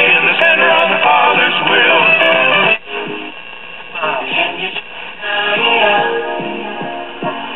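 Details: 1964 Philco AM tube clock radio after replacing power-supply electrolytic capacitors and the across-the-line capacitor: station plays clean through the small speaker with no mains hum under the audio. Normal radio audio.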